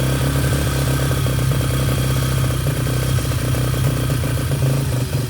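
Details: Yamaha TTR125 just restored, first run after reassembly, started with brake cleaner: the small single thumps unevenly, beat wavering and stumbling instead of holding steady; running rough.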